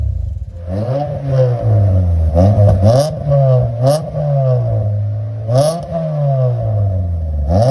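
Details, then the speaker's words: 1993 Mitsubishi Lancer MR MIVEC first started in over 15 years, jump-powered from a van with no battery fitted: engine catches and revs cleanly, pitch climbing and falling smoothly with each blip, no knocks or misses; normal running. "first click of the key don't even have a battery so I have it connected to my van here but as you can hear this running sounds beautiful"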